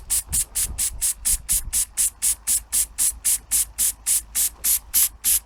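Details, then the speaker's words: Antique inherited model steam engine, first run in years, boiler started with cold water heated by firelighters: crisp evenly spaced steam chuffs nearly four a second with hiss between; runs smoothly. "I actually started with cold water so it's a tall order to ask fire lighters to heat all this about the water I think we have liftoff"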